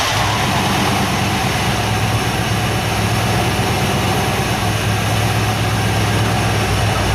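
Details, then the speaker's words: K5 Blazer V10 after crank-no-start repair (new fuel pump, fixed pump ground, new battery), having sat a while: the engine catches and settles into an even, steady low idle with no misses or knocks. "so I am going to uh turn the ignition on listen to that fuel pump and uh hopefully this thing fires it's been sitting a little while"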